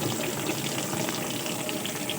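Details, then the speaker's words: New LG washing machine, inlet tap just turned on: steady hiss and splash of water pouring into the tub, even and uninterrupted; normal fill. "അതിനുശേഷം washing machine tap on ചെയ്യുക. അപ്പോൾ washing മെഷീനിലേക്ക് automatically വെള്ളം വന്ന് വീഴാൻ തുടങ്ങിയിട്ടുണ്ട്."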